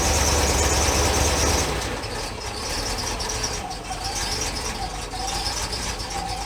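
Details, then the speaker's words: International crew cab truck reported as running rough: an uneven, lumpy idle with a loping beat near four per second and a ragged exhaust note that fades as the engine quits, smoking; rough running. "he said it's running pretty rough he want me to look at it so let's pop a hood fire it up just see what it's doing"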